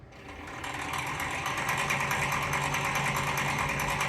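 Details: 2020 Tracker EV under throttle, in forward and reverse: a steady electric motor hum with a sharp, regular clicking of about three clicks per second from the front drivetrain; the wheels also spin at different speeds.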